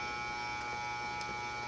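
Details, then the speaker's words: Vintage McGraw Edison box fan on low after cleaning motor bearings and bushings, previously overheating on low: steady soft hum with smooth airy rush, no ticks or rattles; runs evenly. "well I am going to let it run on low for about half an hour check it periodically see if the motor heats up"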